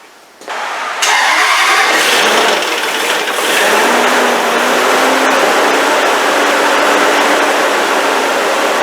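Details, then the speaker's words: 2007 Range Rover 4.2 supercharged V8, first start after head gasket job, some spilled oil may smoke: short crank, catches cleanly, steady even idle with no knocks or misses; normal start and idle. "When filling it up, I did spill a little bit of oil, so it may get a little bit more smoke than normal, but it should clear out pretty soon. So let's fire it up."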